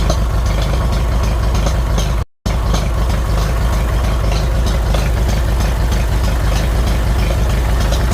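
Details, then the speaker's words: 1957 Farmall 450 diesel tractor fired right up after injection pump reseal while cranking to bleed the fuel system: a low, steady diesel chug with an even beat and no stumbling or misfire; healthy idle. "I just went ahead and I wanted to crank it to uh bleed her out and um yeah she fired right off no problem"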